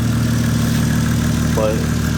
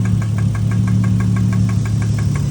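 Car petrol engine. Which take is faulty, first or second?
second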